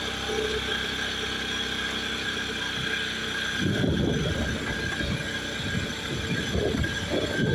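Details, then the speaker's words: 2017 Honda Scoopy with over 5 years of use, formerly making grinding and jingling noises, on a test ride after routine CVT service with no parts replaced: a steady, even belt-drive drone with no rattle, so the CVT sounds healthy. "Ee tidak harus ganti part ya, cukup di servis saja sudah cukup."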